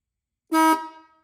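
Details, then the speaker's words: Restored 1950s-60s Ford Mustang dual horns, tested after cover refitted: a single short beep at one pitch with no second tone; one horn stopped working. "One of them's not working. One of them stopped working. See, that's why we test them."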